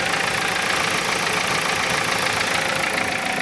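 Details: Dodge Caliber, about 2012, idling with a busy metallic clatter at about four beats a second: timing chain rattle. Cam/crank sensor codes 16 and 17 appear, but the car is not faulting from the sensors; the A/C circuit had been tampered with.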